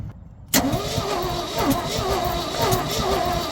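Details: 1970 Ford F600 dump truck V8, first start attempt in years: the starter turns the engine over steadily with an uneven hiccup, but it never catches; the owner plans to check the distributor points for spark, cause not confirmed.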